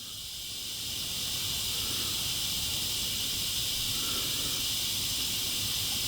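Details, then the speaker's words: 1995 Honda CR250 two-stroke with a bogging problem, under a pressure leak test: steady high-pitched hiss of air escaping from the power valve area, still leaking after Teflon tape was added to the gauge fitting, though less. "so we're going to try this again see if it still leaks y it's still leaking not as much"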